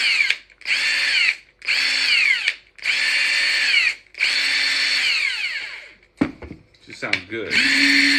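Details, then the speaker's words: Ingersoll Rand impact wrench after maintenance, running on a charged battery: repeated one-second bursts of fast, even hammering with a steady high whir and no rough clatter. It is now smooth, where it was noisy and mechanical before. "definitely it definitely sounds different now that I did that used to sound like like there was a lot of mechanical stuff going on it's like there's a lot of smoothness in there"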